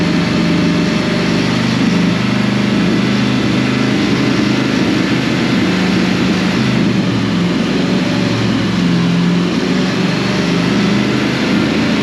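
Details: 2005 Dodge Ram 1500 4x4 with a swapped donor Hemi V8 and new fuel pump, started on ether: low droning idle holds speed but sounds lumpy, one or two cylinders not firing consistently; injectors suspected.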